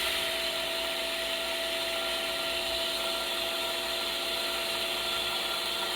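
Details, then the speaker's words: Hallmark submersible well pump rated for 247 ft (about 123 psi), with the discharge valve cranked nearly shut and reaching about 120 psi: steady whirring roar with fixed high tones and no surging; the pump strains near shutoff, judged not terrible. "it's making noises [Music] you get close to it 120 not terrible"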